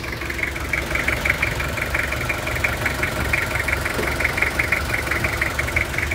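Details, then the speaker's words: 1997 Toyota Kijang LSX diesel, manual, AC switched off, engine bay; even idle with crisp regular clatter over a steady low drone, nothing knocking, classic Kijang sound: normal diesel idle. "Untuk bagian mesinnya seperti ini, suaranya masih renyah sekali. Masih suara ciri khas Kijang itu masih terasa. Nah, suaranya masih enak banget."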